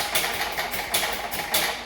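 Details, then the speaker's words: 2006 Pontiac Solstice, Ecotec engine, rebuild with broken and pinched wiring found, new cam sensor just fitted: harsh rhythmic chattering bursts, about three or four a second, while cranking without starting; cause unclear. "We tried to start the car. This is the noise that it made."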